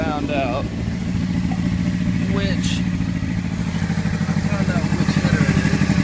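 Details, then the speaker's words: Honda CBR600RR: uneven, stumbling exhaust beat with irregular dropped pulses over street noise; a cylinder is misfiring and the engine stalls. "Alright guys, this is what I mean by it's misfiring. That's the sound I'm getting from it."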